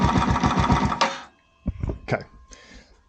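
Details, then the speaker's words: Yamaha YZF R125 under crash-damage rebuild, cold start in neutral: uneven fast chugging that drops almost to nothing, then stumbles back in weak sputters, nearly stalling before it recovers; owner says the idle may need fixing, no oil leaks. "struggling struggling struggling will it [Laughter]"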